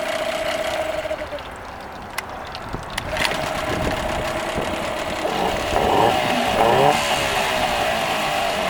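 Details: Nissan 8 hp outboard that previously wouldn't start, final run: steady running with an even, unbroken beat and some mid-pitch rattle; sounds healthy and keeps running.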